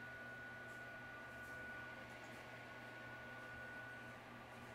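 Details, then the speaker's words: Godox SL-150 LED video light at 100% output, before fan upgrade: constant thin whine with soft airy hiss from the cheap stock cooling fan running flat out. "I mean this is a great light very bright the only downside is a fan noise because they used a cheap cheap cheap fan"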